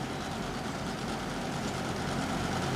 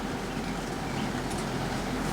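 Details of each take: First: Lasko 3720 WeatherShield box fan on low speed, cold at first, steady whoosh with fine buzzy bearing rattle that lessens after a few minutes as it warms up; moves less air due to dust buildup. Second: Lasko 3720 WeatherShield box fan, dusty, on low setting, gives a steady airy whoosh and low hum. The bearings rattle when first started, then quiet down within a few minutes as they warm up; now running normally.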